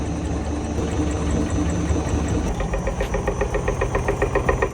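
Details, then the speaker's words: Kia Rio / Hyundai Solaris front end: rapid, regular light knocking, about four per second, from worn soft steering rack housing bushing; starts as slight play, becomes knock on bumps; found only driving under load, not a strut. "Классика корейцев. Лёгкий стук передней части автомобиля - это не стойка, это рейка. Сначала лёгкий люфт, который превращается в стук."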